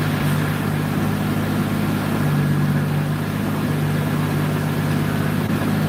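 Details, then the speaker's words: 2JZ six-cylinder on a cool day while the tune is checked: steady, even low rumble with no misses, ticks or knocks; idling really good. "idling really good right now."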